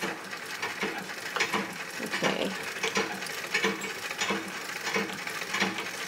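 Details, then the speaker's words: Free No. 5 vintage sewing machine on a treadle base during reassembly, turning unevenly; jerky clicking at roughly one or two a second as the gears bind on a section of damaged cog teeth, together with a loose screw that needed tightening. "I needed to tighten up this screw but also there was a section of teeth on this COG that were a mess and it would bind up when i"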